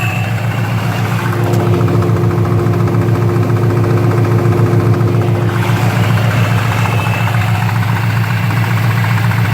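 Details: 2015 Paxton GT at steady idle: light, fairly regular knock about four times a second; source unknown.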